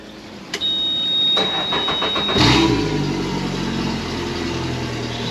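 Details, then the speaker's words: 2017 Suzuki DF115 four-stroke outboard after full service fixing stalling and poor running, on garden hose: starts right up after brief crank, smooth even idle, good water stream, temperatures nice, no leaks, sounds healthy. "Starts right up. These water good, shifts good. Temperatures are nice. No leaks. Sounds fantastic."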